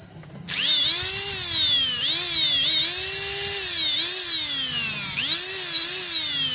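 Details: Rewound juicer machine motor after repairing a lead whose insulation hadn't been stripped, which blocked current, tested on a 100 W series bulb: steady high-pitched whine rising and dipping with speed, no grinding or sparking; now self-starts, normal run.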